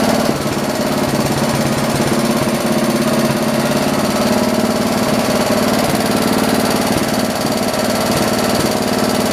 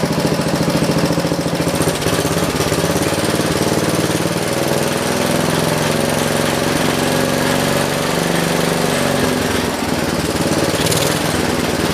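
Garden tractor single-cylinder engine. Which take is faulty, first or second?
second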